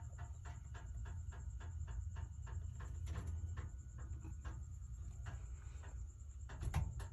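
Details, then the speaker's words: Whirlpool dryer running hot: low drum rumble with a steady run of sharp thumps and knocks; likely bad drum support rollers, and the drum looks destroyed and probably unusable. "she's hot but you can hear that noise I'm going to open her up probably have some bad rollers and that drum is totally destroyed probably can't use this drum anymore"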